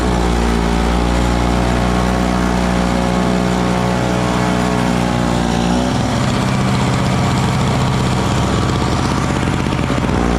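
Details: Small Frontier backyard snowblower clearing snow mixed with rocks from a shop floor: the single-cylinder engine runs steady, dips briefly as it bites into snow, then recovers cleanly. It is running healthy under load.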